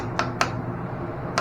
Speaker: that's over here that's a that's a stronger Bond